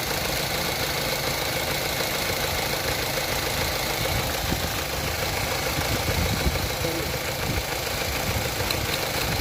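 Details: Opel Astra H at idle: fast, uneven ticking of a few clicks a second over the hum; clicking suspected from the throttle body, not confirmed.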